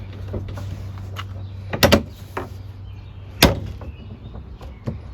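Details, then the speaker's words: Honda Pioneer side-by-side door after rattle fix: a few firm single thuds as the door shuts, no trailing buzz or rattle, over low idle hum; door barely moves, sits tight. "Look at that. I can't barely, it's barely moving. Nothing. We just solved all our rattling issues."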